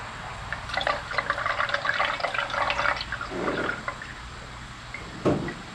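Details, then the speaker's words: 1966 Mustang, off the road for 12 years, rear brakes being bled by slowly pumping the pedal: smooth unbroken stream of fluid into the bottle with no spitting or gurgling, so no air gaps. "sounded like a steady stream, like there's no air gaps in it."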